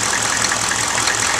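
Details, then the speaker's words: 1995 GMC Suburban 6.5L turbo diesel after HX35 Holset clone turbo install, idling while warming up after first start: steady even clatter with regular light tick, no misses or knocks; normal idle. "I'm gonna let this run for a good 15 minutes just to bring it up to temp and let that oil get circulated"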